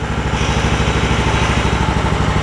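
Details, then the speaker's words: John Deere LX266 riding mower with 1100 hours, single-cylinder engine: steady, even idle with regular low thump, no misses or hunting; running smoother after air-fuel mixture was backed out because it was running a little too lean. "y'all can hear it's running smoother too all I had to do was back out the air fuel mix a little bit it was run a little bit too lean"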